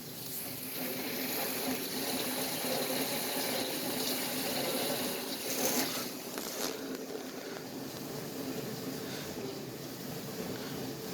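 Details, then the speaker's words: Bosch Ecosense dishwasher on the regular cycle: continuous watery swishing and splashing. The door was not fully closed on one side, which caused the weird noise. Water sloshing noise. "my boss eco sentence dishwasher is making a sound some slithering noise or something like that"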